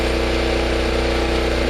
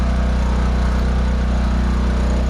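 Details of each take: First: Generator: even, constant drone at fixed speed, no clanks or rattles; runs okay, though an earlier unexplained metal click and two plastic pieces found under it remain a mystery. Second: Generator running with a new elbow fitted on thin-wall 3/4" conduit exhaust: steady low drone with faint even buzz; the squared-off elbow touches the top of the enclosure, vibrating the whole door; muffler around 415 degrees.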